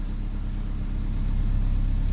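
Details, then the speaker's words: 2001 Ford Escort ZX2 warming up, not yet fully at temperature: low, even rumble with a steady beat and no knocks, misses or hunting; runs very well. Normal idle. "I'm not entirely certain, but just listen to her. She runs well. She runs very well."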